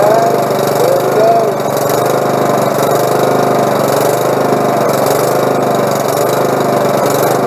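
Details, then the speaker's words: Lawnmower single-cylinder engine after a carburetor clean and repair: steady, even buzz at constant speed with no misses or surging; runs smoothly. "well sounds good i think she's gonna work everything's clean"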